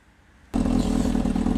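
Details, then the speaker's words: Honda motorcycle after fitting a new cam chain tensioner: engine fires and settles into steady, even idle with no rattle or knock; normal. "success guys right providing there is no battling noises or anything like that you're good to go"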